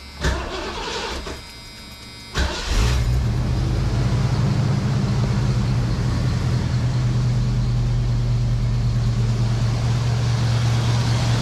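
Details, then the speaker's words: Foxbody Mustang 5.0 after cleaning dirty EGR valve to cure long-standing rough idle and surging; cranks, fires and settles into low even idle without surging; normal idle. "so far so good no surges [Music] the idle sounds so much better I'm gonna guess that that EGR valve was my issue"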